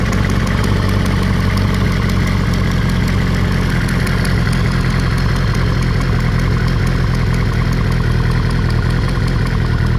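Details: Kawasaki ZR-7S idling: a light, fast ticking rides over a steady idle and keeps pace with engine speed; the source of the tick is unclear.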